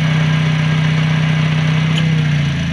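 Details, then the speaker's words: Toyota Calya being checked because AC suddenly stopped cooling, at idle with AC off: steady low even hum, only the inner pulley spinning while the clutch plate stays still, no chatter or bearing noise, normal disengaged state. "Nah jadi pada saat kalau tidak hidup AC itu kondisinya seperti ini, hanya puli yang bagian dalam saja yang berputar, yang di luar tuh platnya tidak ikut berputar."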